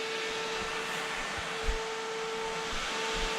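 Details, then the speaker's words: Toyota Hilux with Lexus V8 swap, second electric radiator fan on added relay; both fans run when one is bridged, slow to switch off due to back feed, not a problem; smooth constant whirring hum, no rattle, normal operation. "Second fan. And they both come on when I bridge this one."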